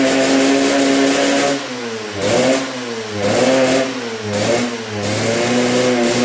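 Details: Yamaha YZ125 two-stroke first run after revival: repeated rev blips, pitch climbing and falling, burbly and soggy rather than crisp; running rich, owner suspects main jet too big, carb needs tuning.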